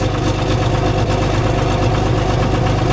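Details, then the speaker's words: Cummins diesel just started in freezing weather with grid heaters disconnected and no block heater, camera at rear of truck: lumpy, uneven idle with irregular thumping pulses about two a second; rough cold idle without grid heaters. "I should have put the log on so I could see what it was actually doing. Well, I kind of know what it was doing anyways, but it's definitely not happy with that."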